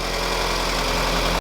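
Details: Warm-up idle of a freshly rebuilt B18C5 Type-R swap in a 2000 Acura Integra GS-R, with headers fitted, first start after a year: steady, even idle, smooth low hum, no knocks or ticks; healthy engine.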